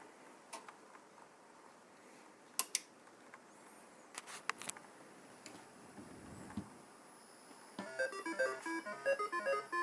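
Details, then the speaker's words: Atari 5200 console after replacing two capacitors to cure crackling, staticky sound. After quiet handling clicks, bright beeping game music plays cleanly with no crackle or static. "Just a very, very quick update. I did replace those two capacitors. And here's the result."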